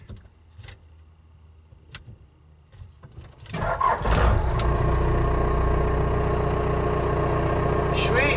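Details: 1980s Ford F-Series/Bronco after an ignition lock cylinder replacement. The starter turns over and the engine catches in about four seconds, then settles into a steady, even idle: normal start and idle.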